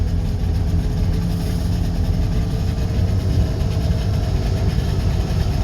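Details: Two-stroke twin Subaru 360 van, just cold-started after six to eight months stored, warming up: low throbbing two-stroke beat, steady with no dropouts, firing evenly on both cylinders. Engine running on both cylinders.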